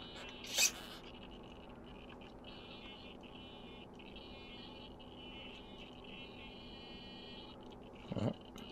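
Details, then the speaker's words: RC car steering servo on battery power with the ESC disconnected, making a faint, steady, fluttering high-pitched buzz; it chatters without stopping, fights to recenter when the wheels are turned by hand, and the noise persists. "listen that chatter as we try and turn the steering and obviously wants to fight us to recenter"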